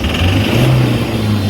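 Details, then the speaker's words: Toyota Hilux 1GD diesel revved with a heavy, rough clatter and heavy black smoke; knocking suspected from an injector nozzle stuck open and over-fuelling. "इसका कोई ना कोई इंजेक्टर वो डायरेक्ट काम कर रहा है, उसकी नब्ज़ल स्टक हो चुकी है।"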